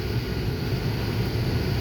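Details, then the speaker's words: 2006 Honda Pilot, just under 200,000 miles, after replacing the screaming, weak blower motor with a new PM9352 unit with scroll cage: strong, even rush of air with no squeal or rattle; much more airflow, fixed. "Yeah, I would say the other one was bad because I didn't have that much of a volume before. Jeez. Heck yeah. Blower motor fixed."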